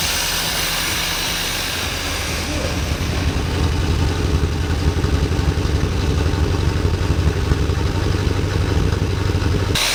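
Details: Corvette after replacing a water-contaminated, corroded fuel pump (temporary Ford Mustang pump) and a bad injector with a used one: steady low engine rumble with an even beat and faint hiss, running smoothly with no misfire or knock.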